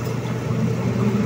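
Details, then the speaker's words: Micromatic single-tub washing machine, tested after gearbox replacement for a noisy-spin complaint: even low churning rumble, strong smooth agitation, no grinding, knocking or scraping, no leaks; healthy gearbox. "para makita natin yung ikot niya kung okay lang ba Ayan oh malakas naman siya okay namang umikot nice"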